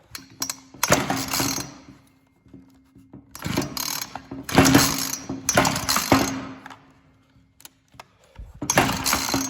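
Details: Ryobi RY3714 chainsaw, started on choke: short revving bursts that fall away each time the throttle is opened, then a faint idle drone, stumbling and dying under throttle; cause not confirmed.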